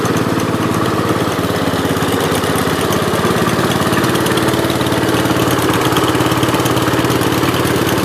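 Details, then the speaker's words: 1968 Gravely 430 single-cylinder tractor, restored project after fixes, now running and driving well with tight steering: steady even single-cylinder putter around three and a half beats a second, no knocks or misses; normal healthy running. "now it's running and driving really great steering is great steering is actually pretty tight for 400"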